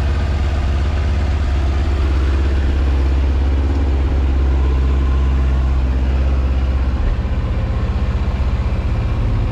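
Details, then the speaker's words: 2000 Yamaha R1 4XV after carburettor repair and synchronization, warmed up a little: steady, even low idle with smooth regular beat and no misses or knocks; running healthily. "carburetor synchronized and back in this place and that's what we got now"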